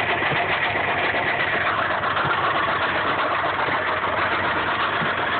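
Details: 1995 Subaru Impreza at idle: dull repeating knock steady beneath the engine note, consistent with a worn rod bearing; knock persists after oil change and additives.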